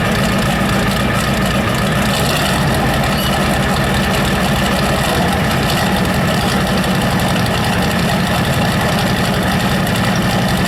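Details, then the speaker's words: Ford 7.3 IDI diesel, first start after new injection pump installed and timed: loud, hard rapid knocking over rough, uneven idle with heavy white smoke; owner suspects an injector stuck open, cause unconfirmed. "I can hear that knock from out here. It's knocking crazy. I wonder if it's one of the injectors fucking stuck wide open."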